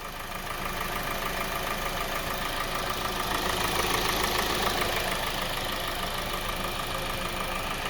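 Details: 2020 Kia Soul 2.0L petrol engine, 20k miles, maintained every 5k: idle with a steady, hollow knock about three times a second, attributed to piston slap from faulty piston rings; engine later failed completely and was replaced under warranty.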